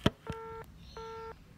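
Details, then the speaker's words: Optus landline tested at the MDF with a lineman's test set on the lead-in cable (A side), with a new jumper wire fitted: after a click, a low tone pulses about every third of a second, an engaged signal with no dial tone; confirmed network fault. "brand new jumper wire there's a brand new blocks so this is 100% and network issue so Optus you'll need to send a technician to get this sort of thing"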